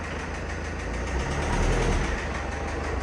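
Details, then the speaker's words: 2012 Range Rover Evoque 2.2 SD4 diesel, front-end crash damage with affected radiators, just bought at a Copart auction: heavy idle with a loud, uneven knocking clatter; cause not yet known. "Mamă, te bate, bă. Bate. Nu-i da bună."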